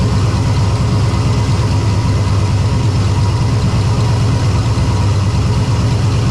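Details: Ventura with On3 turbo LS V8, first start after winter storage: deep lumpy idle, uneven beat, odd random stumble; intermittent idle misfire, owner suspects cheap JDM spark plug wires.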